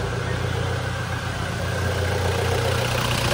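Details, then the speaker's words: Toyota Fortuner after electrical repair: now starts, steady even low rumble, smooth idle with no knocks or misses; noise traced to loose intake manifold hose/bolt being tightened. "Andar na siya mga boss. Ano mo yung intake manifold? Ibalik mo. Kaya pala maingay eh."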